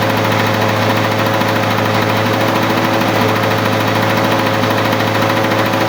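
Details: 1985 Lawn-Boy model 7350 two-stroke mower, revived after sitting outside for years: steady busy burble at even speed, no misfires or knocks; normal running.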